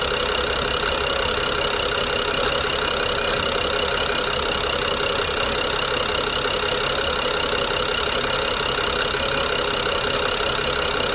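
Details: BMW N55 with a jerky, rough idle: fast metallic clicking and grinding, suspected to come from the Valvetronic gear and eccentric shaft. Coils, plugs and VANOS solenoids were replaced with new OEM parts within the last 5000 km, with no change since purchase in September 2019.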